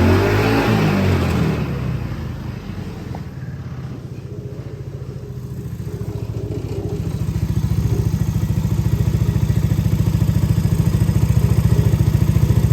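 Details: Hammerhead R-150 side-by-side, GY6 150cc, first start after replacing the stalling carburettor with a new 24mm manual-choke carb: engine catches, settles into even putter, revs cleanly and holds steady without stumbling — normal running and revving.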